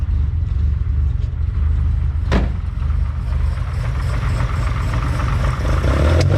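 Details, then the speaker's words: 1972 Ferrari 365GTC/4 V12, running again after a carburetor fault, warming up on stale fuel: low, even idle rumble with no misses or knocks. Minor leak noted at the accelerator pump, thought to need new O-rings. "yeah but we're up up and [Music] running"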